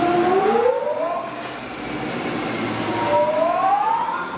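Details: Loud, steady hydraulic whine from a larger gear pump on a test stand, rising in pitch as the stand speeds up, with no knocking; normal operation without the odd noise the customer reported.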